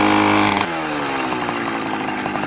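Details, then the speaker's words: Minarelli two-stroke on a motorized bicycle, first ride with a new reed and intake: revs up, then turns burbly and uneven past half throttle; very fat, running rich and needs leaning. "Alright guys, I just took it on its first rip. It's very fat. Sounds good. Started up immediately, just like I thought it would."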